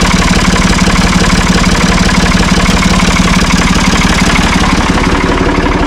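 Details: Ford 445 diesel tractor, owner thinks a 1970s model, bought at online auction: even, steady idle with regular firing pulses about three a second, no knocks or misses; starts and runs good, healthy engine.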